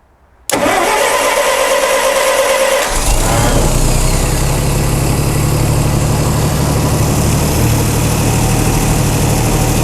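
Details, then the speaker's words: Chrysler 225 Slant 6 generator set with newly installed Holley Sniper EFI and linear-actuator governor: brief crank, catches at once and settles to a steady, even idle around 700 rpm; healthy start. "that was a pretty good startup huh engine RPM 700 something"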